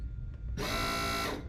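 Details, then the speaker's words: Custom AWD Mazda RX-7 using a Nissan ATTESA hydraulic pump (system rated up to 260–280 psi), first run while bleeding: short, rough, uneven buzzing burst making 'stomach noises'; gurgling, suspected air during priming, not confirmed. "making like stomach noises we'll stop there"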